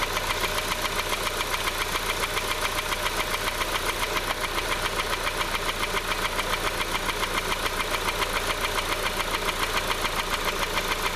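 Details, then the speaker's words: Honda CR-V petrol with VTEC, warm idle: steady light tapping, three or four knocks a second over the engine hum; sudden onset, not louder at open oil filler, nothing found by screwdriver stethoscope; source not pinned down. "right well the engine has slowed down it's warmed up and you can hear that knocking now"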